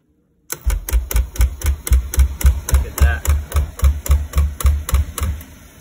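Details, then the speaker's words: Beckett oil burner after tank ran dry and was refilled: rapid even clicking about four times a second, each with a low whoomp as flame drops and relights; oil and nozzle suspected first, failing primary control found. "we're back today because when it's running um the flame will kick in and out over and over very quickly so I'll show you what that looks like here I haven't seen this before"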